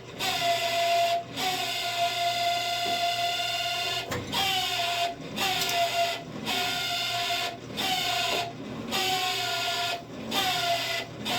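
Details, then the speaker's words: Camp Chef SE pellet smoker auger motor after rain soaked the pellets and jammed the auger, cotter pin reinstalled: steady mid-pitched whine with thin buzz and short dropouts every second or two; noisy, cause unclear. "See, I don't know what was going on with this thing. I don't know why it's being so noisy. Let me see. Let's see if we can turn it on."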